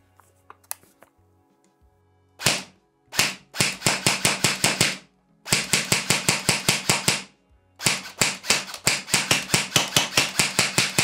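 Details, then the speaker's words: Delta Armory AR15 Bravo airsoft AEG on an 11.1 V battery firing 0.25 g BBs: rapid full-auto bursts of sharp ringing cracks; loud, whiny gearbox noise amplified by the front muzzle amplifier. "Donc, cette Bravo est très bruyante en raison de cet amplificateur, vous n'entendez pas seulement les cris aigus, mais vous entendez clairement qu'il y a un amplificateur ici à l'avant"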